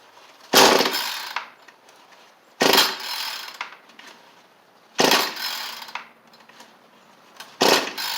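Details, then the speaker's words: Cheap small two-stroke tool with spring-assist recoil, tried on original carburetor without choke: four sharp pulls about two and a half seconds apart, one brief attempt to fire, never catches; no start. "So it wanted to that first time, just briefly. So it doesn't seem like that's going to work for us, unfortunately."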